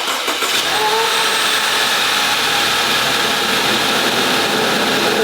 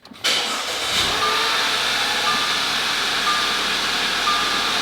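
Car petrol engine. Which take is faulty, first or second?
first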